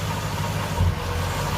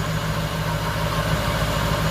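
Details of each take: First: Nissan D22 Navara with VK45 V8 swap idling: mostly steady idle with one brief uneven stumble midway; intermittent misfire, the crank angle sensor holds steady, so the fault is in its wire. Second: Nissan D22 Navara with VK45 V8 swap idling after the dud wire was repaired with a new plug pigtail: steady, even burble with regular pulse, no stumbles or dropouts; normal idle, fixed.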